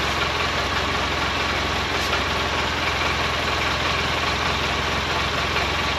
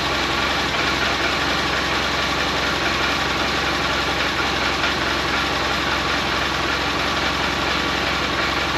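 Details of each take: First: 2012 Polaris Ranger 800 six-seater, revived with new parts, just after first start. Steady twin idle with a faint, light, regular rattle over the top; owner unsure of source, suspects play in the clutches. Rattle at idle. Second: 2012 Polaris Ranger 800 six-seater, revived with new parts, just after first start. Steady, even twin-cylinder idle with constant busy mechanical note, no knocks or misses; normal idle.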